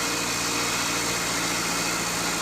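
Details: Car idling after new battery fitted to cure no-crank fault, alternator charging steady 14.30–14.31 V; steady, even idle with constant fan hiss over it, no knocks or stumbles, normal idle.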